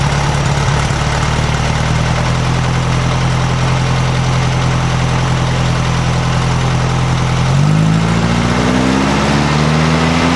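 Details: 1956 VW Beetle air-cooled flat-four with Solex carburetor after valves readjusted to 0.006in: steady even idle with smooth rev rise near end, no knocks, misses or rattle; tune sounds about right, accelerator pump possibly binding on alternator.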